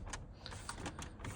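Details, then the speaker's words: Audi A6 C8 while driving: dry, irregular creaky ticks, about four a second, over low road rumble from the front dashboard panel creaking on its clips. "Но есть одна проблема вот это вот она очень комфортно но когда едешь вот эта панель Она просто вот скрипит на всю о слышите Да она просто вся"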